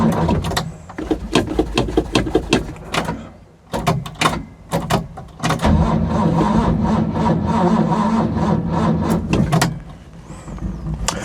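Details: Ford Capri 3.0L V6 stored 20 years, fuel primed, manual choke, weak battery dropping: slow, labouring starter churn in broken bursts, then a long crank that never catches; cranks but won't fire.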